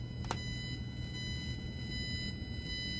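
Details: Blue Yeti USB microphone headphone jack used as line output: steady low hum with thin high-pitched whines, ground loop noise, fixed with a $9 part.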